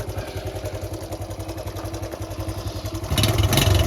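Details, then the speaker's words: Honda Cub C70 during restoration, after resetting points to .03: small single running at a steady beat with light tinny rattles rising with revs; exhaust not fully tightened is the suspected cause. "there's a few little rattles here and there look yeah the exhaust want putting on a bit"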